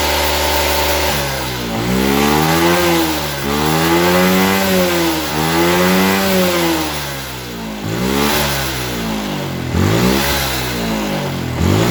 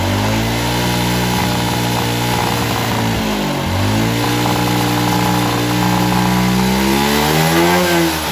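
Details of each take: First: Suzuki Smash New carburettor motorcycle with heavy fuel consumption and a blackened plug. After the carburettor was refitted, the air screw is adjusted at idle; the single-cylinder revs swell and sag, still running rich. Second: Suzuki Smash New carbureted single-cylinder motorcycle with high fuel consumption, after carburetor air/idle screw adjustment: revs up smoothly and settles, a crisp, even note with no misses or popping.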